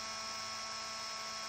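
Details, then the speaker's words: TTBit LTC USB Litecoin miner stock sleeve-bearing cooling fan after a couple of weeks of use: loud, steady high-pitched whine with a hissy edge from the worn bearing; the fan is replaced. "so after a couple of weeks of use they get very noisy as you can hear from this one"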